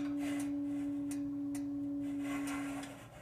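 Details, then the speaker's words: Regency H2100 hearth stove running hot with glowing coals: air intake nearly closed gives a pure steady whistle at one pitch as air rushes in; opening the intake stops it, closing brings it back. "intake and it's trying to rush the way it's trying to rush the air in there or however that that air flow works it causes a whistle if you open it it goes away close it up you get the whistle again"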